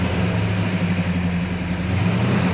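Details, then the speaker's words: Hemi V8 in a GTX convertible: a deep, steady idle with an even burble and no misses, plus the rattling of its mechanical rockers. A healthy-running engine. "Not bad. That sounds good. It does Fire sound right pretty up. good."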